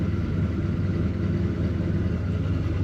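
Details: 1968 Dodge Dart with 340 V8 and rebuilt A727 TorqueFlite, cold start after sitting overnight, engine about 8 to 10 years old: deep, steady, even idle rumble with no knocks or misses; oil pressure climbing toward 60.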